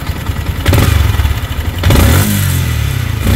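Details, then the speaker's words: Yamaha Sniper 155 at 39,289 on the odometer, no preventive maintenance yet, running after it cooled. Uneven metallic rattle rising with throttle blips; mechanic suspects cam bearing, quiet after cam bearing and cam replacement: cam bearing rattle. "So pag ganitong tunog, possible mga cam bearing lang to. Kanina iba yung tunog niya nung bagong dating eh."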